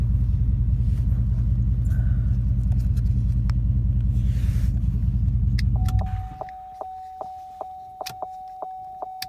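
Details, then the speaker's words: 2006 Chevrolet Trailblazer SS after replacing faulty ignition switch with new GM part (had stalled, no-crank, reduced power light): deep even smooth idle, then switched off with chime ticking; runs fine. "see with the key all the way off now and if I move the key all the way over into the on position starts no problem"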